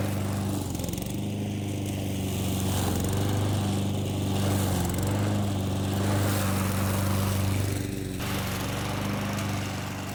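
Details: Old Honda IZY HRG466 lawn mower cutting very long grass: a steady low drone that dips briefly as the engine bogs in thick grass, then recovers quickly. Normal mowing under load.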